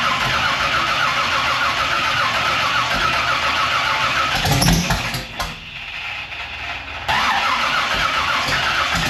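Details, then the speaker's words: Race car V8 with bigger cam, new ignition system and crank trigger, after torque converter swap: long laboured uneven cranking before it finally fires, a hard start; owner suspects it needed more fuel. "She struggled. She fought against it to get it even fire lick, but it did start. So we're moving in the right direction at least. It was a struggle start."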